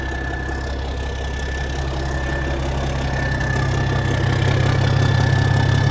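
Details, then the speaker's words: 1987 cabover truck diesel started once more after years sitting, with a fuel leak noted: turns over smoothly into a deep, even idle whose beat builds slightly, no stumbles or knocks. Normal diesel idle. "That thing just turns over so smooth. Dang! That's so smooth. It is so smooth."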